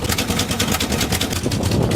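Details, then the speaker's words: Old Chevy squarebody 4x4 crew cab revived after years of sitting, exhaust gaskets needed: rough lumpy V8 idle with uneven pulses and stumbles, running on maybe five cylinders; misfire. "well it's safe to say that it runs I don't know if you guys could hear that but it does run it's only running on like maybe five cylinders"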